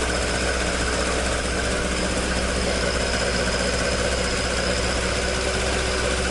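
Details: Toyota AE86 with 4A-G engine after exhaust leak repair, stock exhaust: a steady idle with a smooth, unbroken exhaust note and no puffing or ticking. Normal, sealed exhaust note.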